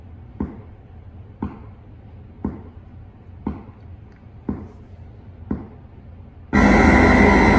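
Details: 1978 Bally Midway Space Invaders arcade with Braze kit during self-test: six even clicks, then harsh loud steady roar; ROMs/RAMs passed but bit test failed; sound fault of unknown origin.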